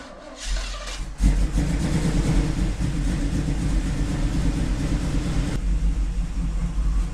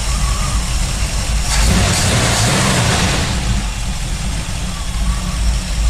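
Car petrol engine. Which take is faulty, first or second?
first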